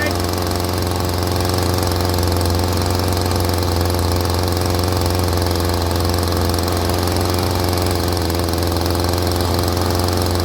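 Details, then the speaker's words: Stihl string trimmer that would not rev and stalled, after carburetor adjustment, started on choke: steady, slightly fast two-stroke idle with even drone, no stumbling; idle a little high but running clean. "At low idle, it's actually a little higher than I like."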